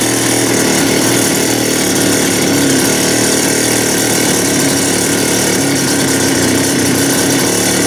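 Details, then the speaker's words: TS400 cut-off saw after ultrasonic carburettor cleaning (an issue was found on the diaphragm side), idle raised: loud, steady high-rev two-stroke roar with a harsh buzzy edge. A small bog remains while it breaks in. "I'm just trying to get that uh bog taken out of it it's a tiny little bog now it's still got to work itself in"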